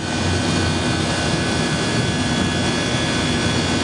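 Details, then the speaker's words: Walk-in freezer condensing unit with new fan cycling control: steady, even compressor hum with faint high tone, condenser fan off as pressure reaches 250, cutting out below 200; needs adjusting, some liquid returning to compressor. "all right this compressor just froze up like that um because the fans aren't on downstairs"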